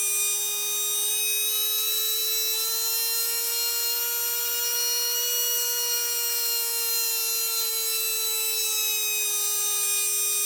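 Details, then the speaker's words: Tamiya Dynatech 01R brushed motor after strip, clean and rebuild: clean steady high whine gently rising then falling as the end bell is turned to adjust timing for its sweet spot; smooth, healthy motor. "hopefully you'll be able to hear it increase and decrease and the idea is to get it to its sweet spot"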